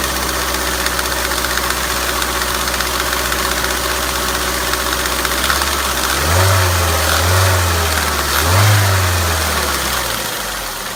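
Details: Ford Mondeo 1.8 petrol Duratec HE, 87,000 miles, idling: light, fairly regular tapping or knocking, about four a second, over the hum; source unknown to owner.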